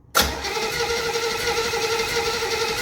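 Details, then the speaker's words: 1968 Chevrolet Camaro, 327 V8 with 4-speed, swapped Holley carburetor, lacking the needed 6 psi fuel pressure at the carb: after a big dose of gas, starter churns steadily but engine never catches; flooded engine. "Flooded. Really? Come on, man. It's teasing me."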